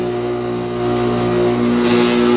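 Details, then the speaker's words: 2008 NuTone dual-zone central air conditioner running: a steady droning hum with a buzzy, vibrating edge from a rough condenser fan motor; the unit is otherwise in great condition. "almost sounds nice with the without the vibration but it sounds horrible with it this unit is also in great condition but not that fan motor"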